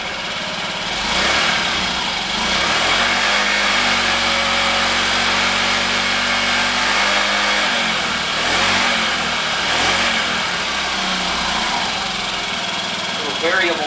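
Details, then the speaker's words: 2015 Honda Ruckus scooter, revived after sitting a couple of years, fresh gas: small single buzzes at idle, rising and falling smoothly with light throttle through the variable drive, no knocks or misses; running normally. "That's a quiet scooter, isn't it? It runs. Listen how quiet that is."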